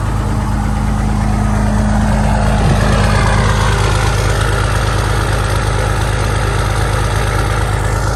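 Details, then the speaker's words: Diesel truck at high idle during a cold 27°F warm-up: steady, even clatter with firm regular pulses, no misfire or hunting; running really nice and not smoky; warming up healthily. "it's not smoky or anything all right that's gonna be it for the day"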